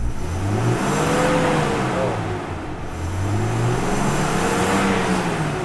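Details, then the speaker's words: Toyota Innova engine after fitting a used replacement airflow meter: it now revs freely to 6000 rpm, where before it stuck near 3000, misfired and wouldn't rev. Two clean rev sweeps fall back evenly with no stumble or bog. "RPM 6000 mau dia tadi enggak mau ya"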